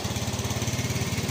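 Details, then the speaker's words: Yamaha Fino 125 scooter: a fast, uneven putter with a wavering pulse as the throttle is eased open. It hesitates on initial throttle, idle rpm is slightly high, and power is held back from mid rpm up (heavy at 40–60 km/h). The stumbling suggests a faulty fuel injector. "seperti berbet gimana ya. Saat parah-parahnya ini ketika kita gas awal nih, motor ini sampai nggak bisa jalan, RPM menengah ke atas."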